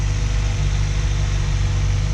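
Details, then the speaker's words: Honda Civic petrol engine that sat nearly 3 years (engine 1 year) with idle issues, just restarted after battery reconnected: idles smoothly and evenly with a steady low hum, no knocks or hunting. "The idle seems to be pretty good right now. sounds pretty good so far."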